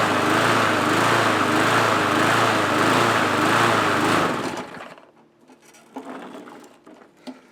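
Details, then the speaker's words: Surging MTD mower engine after a new spring and new O-ring; the engine rises and falls about three times a second, never settling, then shuts down; flywheel key issue suspected (timing off), and the blade adapter was later found slightly cocked. "So it still has the issue, but I'm suspecting now that we might actually have an issue with the flywheel key. It's almost like it's not in time."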